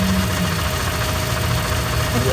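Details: 1995 Toyota Camry idling after oil pump gasket replacement, fixing an oil leak that began after timing belt replacement; no oil leak seen, steady low idle with an even beat and no misses or knocking, normal.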